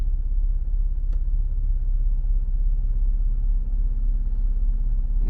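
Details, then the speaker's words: Lada Largus/Renault Logan heater blower after removal, cleaning and reassembly, engine idling; steady even hum at first speed with no squeak or whistle; blower running smoothly after repair. "получше без скрипов и все вторая скорость в принципе более-менее"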